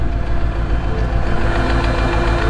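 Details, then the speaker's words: 2003 Mercedes-Benz SL55 AMG V8 after engine failure, white smoke and oil-fuel mixture: deep, steady rod knock at idle, several beats a second, under a rough rumble. "we got full white smoke coming out of the back of the AMG. And if you could just hear that, that's rod"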